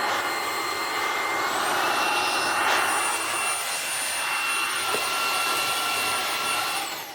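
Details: Vacuum after a month of use, filter not checked all month: steady high-pitched motor whine with an even airy rush and no surging or rattle, still surprisingly decent airflow; running normally.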